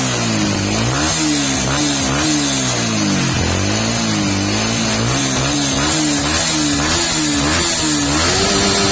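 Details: Yamaha R15 v2 motorcycle that had a won't-start spark plug problem: engine picks up cleanly and blips up and down smoothly, firing evenly with no misses or stumbles; normal running.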